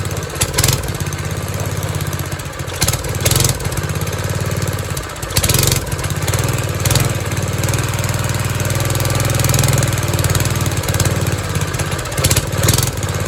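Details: 1970s trike, believed MTD Mud Bug, with replacement John Deere engine believed 5 hp, idle 5 to 10 years, after idle screw reset to 1.5 turns: steady low idle with brief surges and bumps settling even; idle acceptable now.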